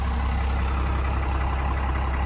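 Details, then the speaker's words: 1993 Dodge Ram 350 ramp truck, 12-valve Cummins diesel, 5-speed manual, just restarted after battery charge and bleeding injectors: steady deep diesel clatter at even idle, no misses or knocks; normal idle. "Looks like it's running pretty good. It's pretty rough in here."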